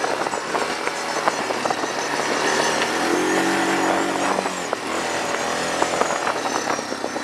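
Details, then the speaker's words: Machine bought at a yard sale, with automatic transmission, ridden: small single pulls cleanly, pitch rising and easing with throttle, no knocks or stumbles; found not actually broken, normal running. "yeah this thing is fine there's nothing wrong with this I like this thing with the automatic it's nice you'll have to shift or anything all you gotta do is hit the gas"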